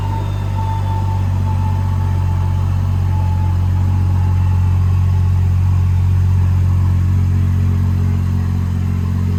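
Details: BMW N55 turbo six on a flex-fuel E85 tune with a Beamer Haas intake; owner has had trouble holding boost and is fitting an M2 diverter valve. Deep steady rumble holding even throughout, no knocks, misses or rattles; sounds healthy.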